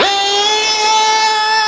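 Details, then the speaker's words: JQ Products THERTR nitro RC engine during break-in, after leaning the too-rich low-end needle: from a stop it snaps up from low revs into a steady high-pitched scream without hesitation or sputter. "if I stop and accelerate it accelerates"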